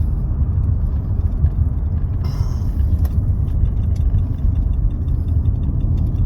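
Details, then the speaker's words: 2013-2018 Nissan Altima with CVT, driven on the road after engine and transmission replacement, no check engine lights: steady low, smooth, even rumble with no knocks or whine; engine and CVT running well. "But the CVT's working really good. The engine is sounding really nice as well."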